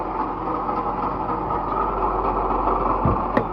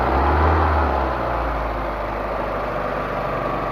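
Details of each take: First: Proton Waja petrol engine idling before water pump replacement: coarse, gritty rumble running steadily underneath, like a failed water pump bearing; water pump bearing noise. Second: Proton Waja after water pump replacement, formerly noisy from a failed water pump bearing: steady, even idle with a smooth low hum and no grinding or whirring from the front of the engine; normal idle.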